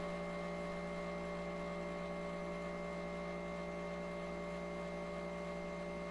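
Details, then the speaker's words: Ditto tape backup drive on an IBM PS/2 Model 30 286, fast-forwarding the tape to the end of an existing backup before appending. Steady loud droning whir with several fixed tones: normal fast-forward operation. "So I'm guessing it now has to fast forward the tape to where the end of the other backup starts."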